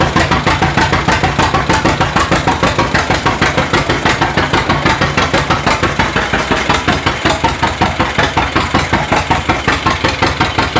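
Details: 1936 John Deere A two-cylinder, mostly new engine, first run in decades after timing fixes, hand-cranked, warming with residual oil burning off; slow even popping about sixty-five beats a minute, unlabored; normal running.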